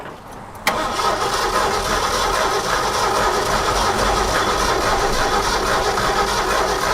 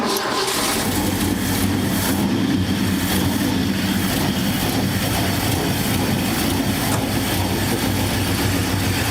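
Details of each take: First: Abandoned 1969 Ford F100 sitting over 30 years, fuel delivery also doubted: click then long steady cranking about three beats a second that never fires; distributor points not sparking consistently, cleaned and coil to be replaced; cranks, no spark. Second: Abandoned 1969 Ford F100 revived after 30 years: steady rumble with slightly choppy loping beat at idle, no knocks or misses; possibly an aftermarket cam; lopey idle.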